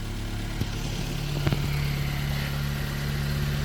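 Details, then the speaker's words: Toyota AE93 Corolla SX Seca, freshly rebuilt 4AGE small-port four-cylinder (previously burned about a litre of oil weekly); smooth, steady low idle with an even beat, no ticking or knocking, outdoors; sounds healthy. "nice and healthy"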